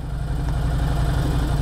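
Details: Ducati Hypermotard 1100 S, air/oil-cooled, just rebuilt and being run in, on a hot day: deep, even V-twin thump at steady idle with no misses, ticks or knocks; idling cleanly.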